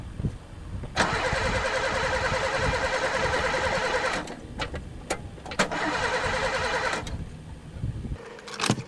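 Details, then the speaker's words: Pontiac that hasn't run in three years, sticky throttle, gas dumped in the carb: two bursts of steady starter cranking, engine turns evenly but never catches; crank, no start, suspected no spark. "Don't tell me this one's got no spark, too. It's even gas dumped in it."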